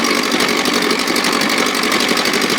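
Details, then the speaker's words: 1957 Montgomery Ward Sea King 5 hp two-stroke outboard, no fuel pump, gravity-fed from a tank on a ladder, throttle in start position above idle: crisp, rapid even firing with steady buzzy pitch, no misses or knocks. Running normally and sweetly. "And it was running out of gas pretty damn fast. She sounds sweet. Sound good. Doesn't it sound sweet?"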